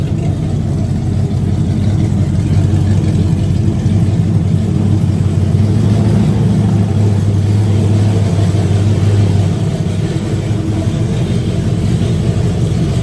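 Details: Burnout truck's carbureted small-block V8 idling in the shop before upgrades for a burnout competition, recorded as the "before" sound: loud, deep, steady lumpy rumble with no knocks or ticks; normal idle.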